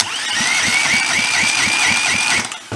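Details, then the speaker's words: Rebuilt Kohler Command 20 hp engine cranking during a dry compression test on cylinder one: even pulses about four per second under a thin whistle, steady compression strokes and no dragging. "let's shove a compression tester in it see what we get and cylinder number one"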